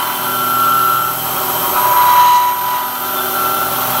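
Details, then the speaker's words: CNC Bridgeport (Masso, ClearPath) milling bearing holder bores for hay rake copy, about 2500 rpm, 20 ipm, finishing with few thousandths stock: cutting noise with thin high ringing whistle coming and going; light tool chatter. "Sounds like we got a little shattered."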